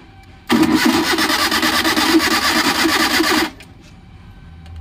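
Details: Maruti Suzuki Omni van in neutral, key on with dash lights working. The starter cranks steadily for about 3 s with an uneven chug near 3 per second and never fires. No spark reaches the plugs; a missing plug-line ground is suspected.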